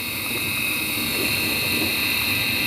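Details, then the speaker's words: Midea dishwasher wash motor, previously stuck, now running after repair and grease applied: constant high whine over the motor's steady hum throughout the run; worn wash motor bearing. "Yes dear friends yes it is working yes it is working but problem you know you can hear the noise the bearing noise already"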